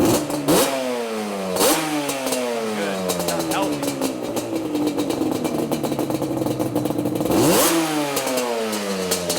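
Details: Yamaha Banshee two-stroke, carbs set for airbox with air lid (1.5 turns air screw, 280 mains, 27.5 pilot down from 32.5): crisp blips rise and fall cleanly and settle to an even idle without bogging; running healthy.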